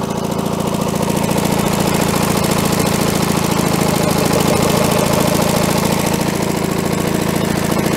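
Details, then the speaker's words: Allis Chalmers track loader diesel, sitting for many years, just revived with its fuel leak fixed; the muffler is worn. It runs at a steady, even idle with a fast, regular beat and a slightly rough exhaust note. "yeah baby doesn't look like we got any [Music] leaks listen to that baby purr"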